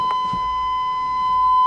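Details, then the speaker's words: 1987 Chevy truck with key out: steady, high, unbroken buzzer tone; owner suspects lights left on, cause not confirmed. "with the key out maybe the lights are on"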